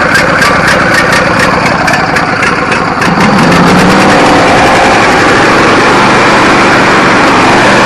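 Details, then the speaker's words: Riding mower bought for $75, running after stuck carburetor float needle led to swapping in a parts carburetor, battery jumped; small single engine buzzes at an even quick beat settling into a steady drone; runs, drives and cuts normally. "all right guys it runs drives and cuts"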